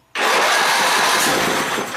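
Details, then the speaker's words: Exmark Viking mower: steady starter cranking with no firing beats, so it turns over but doesn't start. The owner suspects it isn't getting fuel yet. "oh i don't think it's gonna fire up but we'll give it a shot throttle up let's see"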